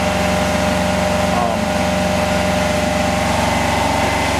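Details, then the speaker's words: Home-built Yanmar two-cylinder diesel standby genset running on waste automatic transmission fluid cut with some off-road diesel, powering house lights, TVs and ceiling fans at about 800–1000 W: steady, even drone, constant low beat, no knocks or misses; normal running. "the nice thing about this is is i run the little generator on waste automatic transmission fluid that i get from a friend of mine who's got a transmission shop"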